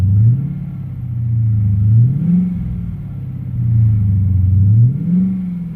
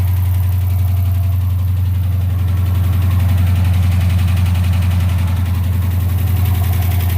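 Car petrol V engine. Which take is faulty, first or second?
second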